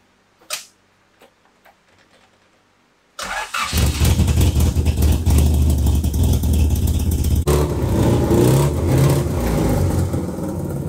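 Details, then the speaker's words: 1991 Honda Civic Si after cleaning the fast idle thermal valve and tightening the throttle cable. Engine catches and holds a steady, even idle with no hunting or surging; normal idle. "we'll definitely give a better throttle response obviously and then there's no idle surging now so that's good"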